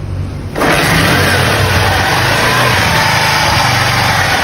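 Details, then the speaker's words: 50cc motorcycle after valve timing was reset to the marks: engine catches and settles into a steady, even idle with no knocking or rattling; the noise is gone. "parou o barulho graças a Deus graças a Deus um luxo agora tá parou"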